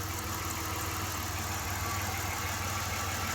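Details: 1993 Dodge Grand Caravan LE, V6: smooth settled idle with even low note, no surging or misfire; normal idle.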